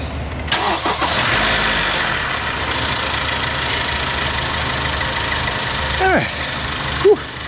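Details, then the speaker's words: First start right after a new battery was installed and cranked down, with terminals rinsed and protectant applied against recurring corrosion: the starter catches within a second and the engine settles into a steady, even idle with no stumble, a healthy start. "I just don't want it Loose that's all I'm going to put some protectant on there I already rinsed it off that's why everything's a little wet want this stuff in all the cracks and crevices so it doesn't duplicate the problem all now we'll see how it fires"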